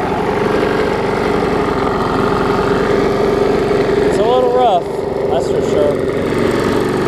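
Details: Bolens 21-inch push mower, Briggs & Stratton 500 series engine, built April 2012, carburetor possibly wrong: steady, slightly uneven mid-pitched chug with a shaky beat, running rough and vibrating, barely usable; bent shaft and internal damage with smoking suspected.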